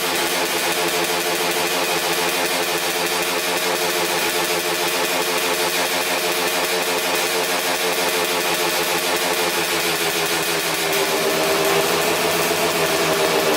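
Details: 2000 Suzuki RM250 two-stroke (249cc), unrun two years, fresh premix fuel, cleaned carb, good compression: very loud raspy crackle with a sharp blatting edge at fast idle; big split in the expansion chamber, basically straight-piped, needs welding.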